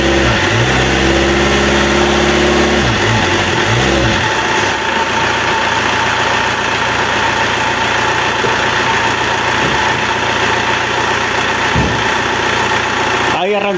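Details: Renault Kangoo F8Q 1.9 diesel adapted from Lucas Delphi DPC to mechanical Bosch VE pump, just repaired after racing and not holding idle; uneven cranking churn becomes steady even diesel clatter; owner says it sounds impeccable; normal start.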